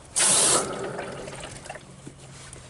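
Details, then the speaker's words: Solar pump water tank plumbing repaired after freezing, broken sediment filter replaced with plain pipe, on turning water back on: a short rush, then a soft steady trickle with no spurting or hammering; water flows normally, no leaks at the pump. "sounds like i have water flowing and i don't see any leaks around my pump which is good"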